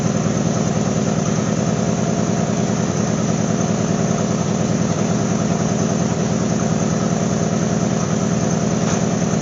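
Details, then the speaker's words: GMC Sonoma idling after its holed muffler was replaced with a used junkyard straight-through glass pack; steady, even exhaust burble with a deep low thump and no hiss or puffing of a leak, so the new muffler sounds healthy. "I know what she sounded like with a hole in the muffler and uh now I want to see what it sounds like with this is a different kind of glass pack I think I explained that at the beginning of the video it's a straight through design"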